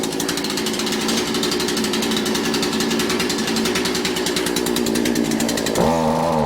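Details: Cold two-stroke weed eater just started on full choke after priming; buzzy run drops in pitch and stumbles as throttle opens; bogging because not warmed up, possibly fuel but most likely cold.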